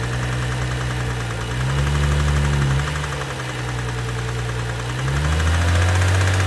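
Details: 2012 BMW 135i M Sport (F20/F21), 2979 cc N55 petrol, 306 hp, 99,000 km: steady idle with a regular deep knock about three times a second under the engine note. Bearing damage knock.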